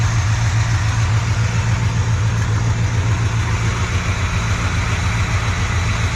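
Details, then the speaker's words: Squarebody C20 truck V8 revived after sitting for years, idling around 140 degrees and still smoking; smooth, even idle, much quieter than with the old oil. "sounds nice and smooth way quieter than it was with the old oil so that's nice it's an improvement"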